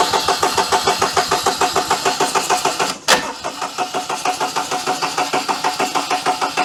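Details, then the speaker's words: 2006 Daihatsu Charade (Cuore/Mira) L251 with swapped engine: starter cranks about three compression beats a second, steady but no firing; ignition fault remains, no spark, oil light now working, battery voltage dropping. "now something is still wrong on the ignition side but we have got the oil light"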